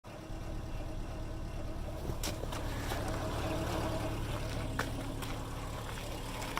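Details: 2005 Subaru Impreza RS 2.5L automatic, rebuilt at 190,000 km after blown gasket and cracked heads: steady idle with faint droning hum, only in park or neutral after cold start; owner suspects torque converter blockage.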